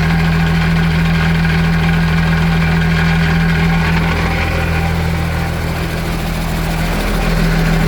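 Deep steady idle with a loose, rapid rattle riding over the engine beat; something in the outdrive is rattling, cause not yet found.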